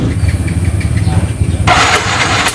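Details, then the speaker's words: Fuel-injected motorcycle that is dead and won't start, cranked on the electric starter with a finger over the spark plug hole: a sharp pop of escaping air shows fair compression; the plug was very wet and faulty. "Nembak, Pak. Nembak. Ada ya, kedengeran nembak. Berarti itu kompresi lumayan bagus lah. Nggak bagus-bagus amat, tapi lumayan bagus."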